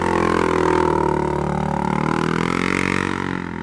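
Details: Polaris 570 ACE engine after a full rebuild for a knock from a dropped crank and rod: new crank, valves, high-compression parts. Smooth clean note rising and settling without knocks or rattles; normal running.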